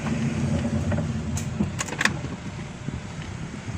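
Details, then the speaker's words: Car rolling slowly: a low groaning creak with a few scraping bursts, like grinding from the brake. The brake disc is damaged. "escuchen este ruido que hace el carro cuando escuchar el crujir o como gruñido es como un gruñido"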